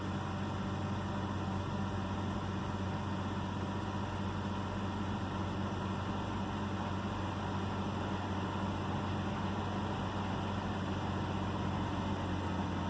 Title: 2009 BMW 328i xdrive coupe misfire and idle problem 1